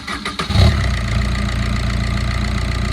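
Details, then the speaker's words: 2010 Maruti Swift, 102,000 km, after timing chain repair for late starting and P0340 cam sensor code: brief crank catches quickly, settles to smooth even idle; engine noise now reduced. "இன்ஜினோட நாய்ஸை கம்மியாகிடுச்சு. இப்போ திருப்பி of பண்ணி start பண்ணுறேன்."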